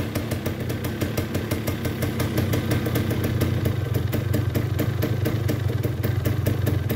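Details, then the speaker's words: 1979 Yamaha DT175 two-stroke, under 1,500 original miles, after fitting a 150 main jet (up from 140), runs less poppy with the oil: crisp, regular popping at a steady rate, no misses or stumbles. Normal running. "it runs with the oil way less poppy"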